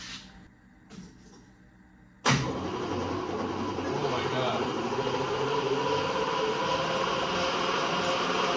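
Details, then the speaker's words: 1970 Triumph TR6 cranking with a second, replacement starter fitted after the first failed: click, then steady laboured churning with slow beat about three a second; starter turning weakly, not very strong. "God that's not very strong [Laughter] either holy moly do we need another stter"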